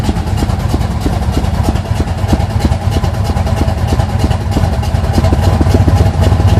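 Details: 1980 Sierra C15, junkyard L31 Vortec 350 (130k-mile pistons/rods, 9.5:1), Summit K1107 .488/.510 lift cam, Performer RPM intake, 600 Holley, Flowtech headers, Thrush turbo mufflers; cold idle: choppy, lumpy lope about three beats a second from big cam; mic clipping.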